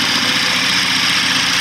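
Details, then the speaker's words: BMW F10 petrol engine, now running on a swapped-in used DME, idles with the same harsh, diesel-like clatter as on the original computer. A mechanical internal problem is suspected, cause unknown. "same same as that sound same diesel-like sound engine that sounds absolutely horrible and i would better turn it off"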